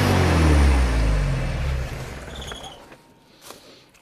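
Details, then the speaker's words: Abandoned Chevy S10 revived in junkyard: engine roars at high revs right after start-up then winds down at shutoff; throttle hung open, cable, linkage or throttle body spring suspected. "that wasn't cool that part sound good yeah the throttle hung open"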